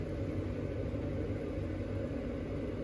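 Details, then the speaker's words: Carrier furnace after replacing the noisy inducer fan motor (suspected failed bearings) and isolator mounts: steady even low rumble, no rubbing, squeal or rattle; inducer now running quietly. "And as you can see, the furnace is running, and it's running quiet."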